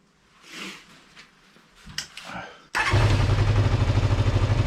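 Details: GPz400R track bike engine catches and runs uneven and spitty, popping with occasional spits instead of a clean note; HT leads checked correct, carb dripping fuel, owner suspects bad fuel left in the tank for a couple of years; misfire.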